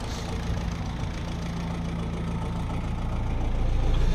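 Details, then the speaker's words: 1964 Willys CJ5 Jeep with F-134 engine after fitting a remanufactured Delco 10SI three-wire alternator; fired right off, steady low idle with even pulse around four per second, no knocks or squeals, charging 13.5 volts: normal idle. "all right as you can hear it's running fired right off nothing's on fire here making smoke"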